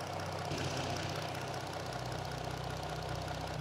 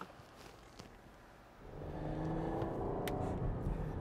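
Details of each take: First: 2018 Chrysler Caravan minivan, 75,000 miles, check engine light on: V6 idles with an uneven, slightly lumpy beat from a misfire on cylinder 3, while scope shows all three coil packs firing similarly. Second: 2018 Chrysler/Dodge Caravan minivan, 75,000 miles, after misfire repair on cylinder three, test drive; quiet start then smooth pull-away under light throttle with an even note, scanner showing zero misfires: normal running.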